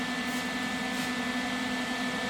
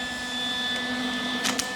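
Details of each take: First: Lincoln 180 amp MIG welder with an air freshener placed at the rear vent: steady even fan hiss with no high-pitched whistle on it; the cooling fan now runs quietly and normally. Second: Lincoln 180 amp MIG welder: steady, piercing high-pitched whistle over the fan hum from the rear cooling vent; stopped by placing an air freshener at the back of the vent.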